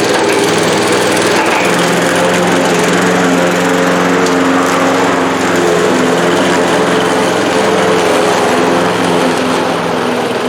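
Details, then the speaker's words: Bolens 21-inch 4.5 HP self-propelled push mower with new drive belt, cutting grass: engine holds a steady, even drone with no surging, knocking or belt squeal; healthy under load. "that's pretty good all i had to do was just use one hand to guide it uh this will do plenty good for my ditch"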